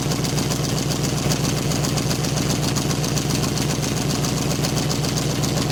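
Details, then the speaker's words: 1995 Chevrolet Caprice V8 idling loud and raspy with a puffing, ticking edge from a bad exhaust leak at two spots. Some unidentified fluid is also dripping, and the owner thinks the whole exhaust or new pipes are needed. "all right y'all know may Rose got a bad exhaust sleep we about to see the two spots that she's coming from"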